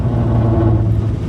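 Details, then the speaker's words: Toyota Corolla KE35 on a test drive after the earlier vibration: steady low drone and rumble with no clear rhythm persists, vibrations gone; owner unsure of the source, possibly the exhaust. "H still there. That noise is still there. Annoying."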